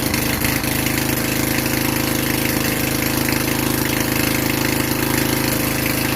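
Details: Vintage Generac Niagara 2250 W generator, model 5621-0, Tecumseh 5hp single-cylinder, running without choke in a garage with a load plugged in: even, regular chug at steady governed speed; producing power, healthy.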